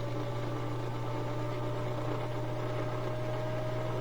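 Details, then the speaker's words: Whirlpool direct-drive washer (won't-drain complaint) in high-speed spin, tub on four shocks and springs with concrete counterweights, drain checked with no leaks; steady even hum, constant tone, no knocking, scraping or wobble thumps: normal high-speed spin. "So that's really kicking up super fast. Really cool design."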